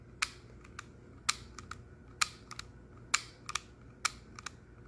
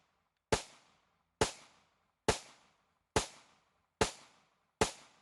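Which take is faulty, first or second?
first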